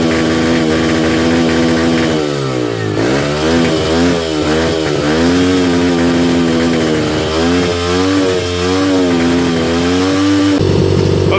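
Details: 2005 Yamaha 125cc dirt bike started off a 12-volt marine battery, revs wandering and sagging every second or two instead of settling; unstable idle, carburetor needed tuning, fuel screw turned in fully then backed out 2 turns.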